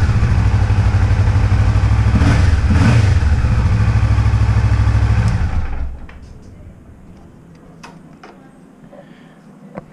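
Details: Kawasaki Vulcan 650 S running after an air filter and spark plug change; deep, even twin-cylinder beat holding steady with a couple of light blips, then a clean shutoff. Sounds healthy, normal running.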